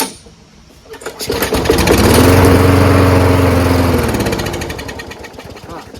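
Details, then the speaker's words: Lawnmower after winter storage with ethanol gas, primed by hand: catches and revs briefly, then slows and dies within seconds. Stalling after start because a dirty, gummed carburetor is not letting fuel be drawn up the emulsion tube. "So it does start, but it doesn't stay running because the carburetor is still dirty. It's not allowing the fuel to be sucked up the emulsion."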